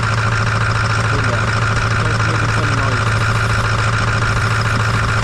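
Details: 2008 Ford F-250 6.4 Powerstroke diesel, 247k miles, oil cap off, idling: loud regular slapping clank about three per second over the clatter; owner suspects cracked pistons.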